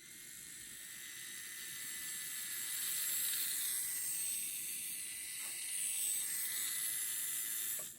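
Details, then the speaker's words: Kyosho Mini-Z MA-020 SP chassis, rebuilt with a one-way front differential, spun by hand: a faint, light whir with soft, even ticking and no binding. Differential is smooth and healthy. "how smooth that is it's not binding or anything it's perfect perfect perfect gear mesh"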